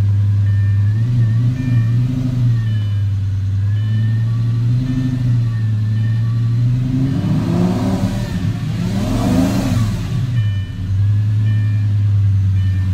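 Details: Lamborghini that was running rough, just after spark plug replacement: engine fires up and settles into a steady, even idle with one smooth blip of revs, no misfire or stumble.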